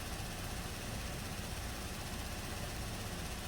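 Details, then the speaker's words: 2017 Buick Enclave with water in the fuel tank: steady, even low idle with no stumbles or surges, fuel rail pressure 580 matching desired, low pressure about 58; idling normally. "and desired low pressure fuel pressure is 57.58 so seems to be running fine now"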